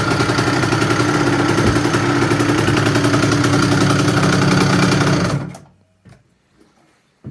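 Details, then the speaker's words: 2007 KTM 65SX two-stroke after Vertex piston top-end rebuild, first heat cycle, idled about 10 minutes until radiator hot; crisp idle with even rapid pop before shutting off, no rattles or misfires, healthy engine. "just finished heat cycle number one let it basically idle for 10 minutes see the radiator toasty"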